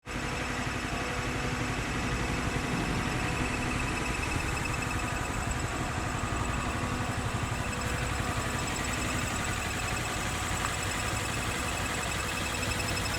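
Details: 2013 Honda CBR250R ABS, 6 months old, 2500 km, oil recently changed to synthetic Honda oil; steady single-cylinder idle with loose tinny metallic rattle from engine/gearbox, dealer unable to find cause.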